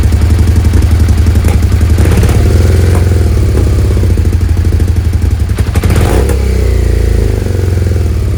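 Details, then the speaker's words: Suzuki SV650S V-twin, carbs freshly cleaned and refitted, idle readjusted, before carb sync: loud, uneven, lumpy idle that won't settle; still rough, throttle lags; owner suspects unsynced carbs and possible leaks around carbs. "right so yeah it's still a bit rough I've got the idle I had to adjust the idle again after I did the changes here"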